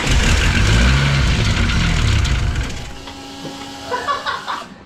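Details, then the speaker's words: Turbocharged engine being built toward 1000hp, freshly reassembled with turbo and factory variable valve timing, exhaust leak present: catches with a rough, lumpy roar then sags and dies, a poor cold start from incorrect cold-start tune changes. "Yeah, that was my fault. I'd made some changes for cold start just because I was in it and I hadn't played with cold start much on this car."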